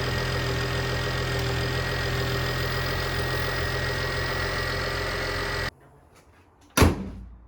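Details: 2007 BMW E92 335i with N54 engine at idle, after belt tensioner replacement and coolant flush: even, smooth idle with no squeak, chirp or rattle from the belt area before shutting off. The belt drive sounds healthy.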